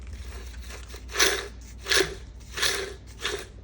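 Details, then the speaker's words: Transfer case with oil pump, out of its case, rotated by hand before fitting to a 4L80E: four rough chattering sweeps with slack chain rattle, no grinding; chain a little sloppy but sounds fine. "So that sounds fine. The chain is a little sloppy, but now you can see that it's obviously not in the case."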